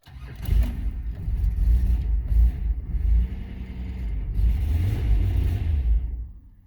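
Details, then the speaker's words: 1991 VP Commodore before ECU replacement: the engine catches and settles into a fast idle that stays up, with the check engine light on, from a faulty ECU. "So not only do we have a check engine light, our idle's too high as well. Which is a bit strange because before, the idle was way too"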